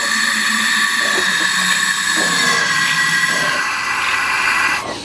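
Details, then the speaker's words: Ford flathead engine in a Model A, low compression (just over 60 psi), leak-down test while rotating: steady loud air hiss past an open intake valve that cuts off when the valve closes and seals; valves possibly not yet seated. "and you can see that one um is raising you can hear the air escaping out of it [Music] and it's gonna close intake"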